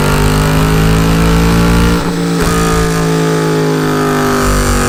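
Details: 2009 Mercedes SL63 AMG (R230) M156 V8 rough idle with busy uneven tapping from driver-side bank 2 valvetrain, originally suspected lifters; teardown found loose front cam caps scoring the camshafts.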